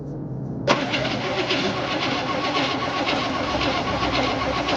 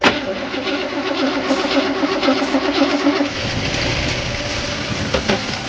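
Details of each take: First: 1968 Chevy Impala V8 that sat 31 years, with a new condenser and adjusted points: starter spins the engine with a steady rapid churning, but it never catches, before starter fluid is added. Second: 1968 Chevy Impala last run 31 years ago: even starter churning at about four turns a second with spark confirmed, then the note changes as it briefly fires on starter fluid.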